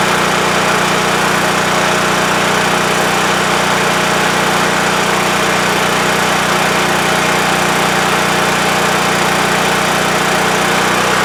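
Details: WEN TF1450X 14500W tri-fuel generator, repaired after shutting off at 20 seconds from spark loss: even, steady drone holding one speed over ten seconds with no surging or stalling; running normally, display shows 232 volts.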